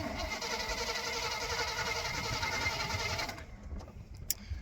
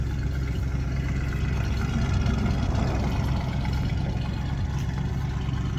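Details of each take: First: Old plow truck cranks about three and a half turns a second for over three seconds with carb cleaner sprayed in and the plug wire grounded, but never pops; no spark, and a spare coil and ignition module are to be fitted. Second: Free plow truck V8 running on its original ignition module after a burned ground strap problem, now firing on all eight: steady, even low rumble with no misses over nine seconds; normal idle.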